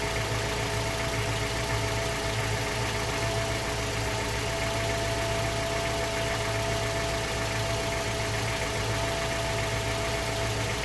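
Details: Mazda 3 BL 2.0 MZR DISI after cold start: steady injector ticking with faint metallic knock underneath; owner suspects piston slap or rod bearing, unconfirmed.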